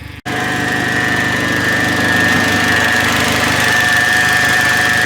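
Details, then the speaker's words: Turbo PT Cruiser GT with Getrag manual transmission just reinstalled with new clutch kit, first start: loud, uneven lumpy run with whine on top, still sounds terrible; rough running, cause unclear. "it still sounds a little bit terrible but that's all right we'll be fine"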